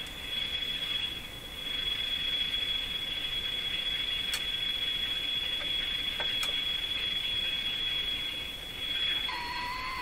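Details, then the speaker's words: Sparton Model 5049 AM tube radio during IF trimmer alignment: steady thin high whistle over soft hiss, then drops away as IF gain is pushed into feedback; owner suspects weak capacitors, not confirmed. IF stage oscillation squeal. "so I think what's happening here now is I'm increasing the effectiveness of the iaf to the point where it's beginning to feed back on itself that could be indicative of weak capacitors"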